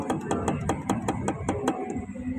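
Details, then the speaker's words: Automatic scooter's rear final drive (gardan) rocked by hand: sharp metallic clacks about five times a second, showing excessive free play. "À, nó phát ra âm thanh . Đây là chuyển động tự do. Thế này là quá nhiều. Cuối cùng, có tiếng lạch cạch khi có va chạm."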